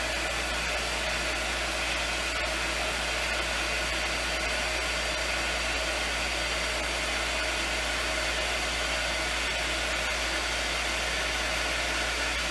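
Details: Lodge water-system pump, reinstalled after its frozen impellers were freed and now supplying the bathrooms: steady, even whoosh with a constant low hum, no surging or knocking; running normally.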